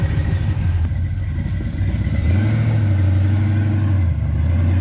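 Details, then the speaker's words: 1969 Chevrolet Camaro with freshly rebuilt 327 small block (bored .040 over, H-beam rods, flat-top pistons, 480-lift cam): deep, even rumble with a smooth rev blip, no knocks or ticks; tight, healthy engine. "Super pumped, super pumped. Can tell she's tight. She's a tight engine."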